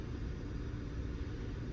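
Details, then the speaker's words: 2014 Hyundai Sonata 2.4L just after upper timing chain replacement: engine starts right up and idles steadily and evenly with no misfires, no tick and no check engine light; healthy idle. "we completed the uh installation of the engine starts right up uh no Mis fires I don't hear no misfires no checking your light on"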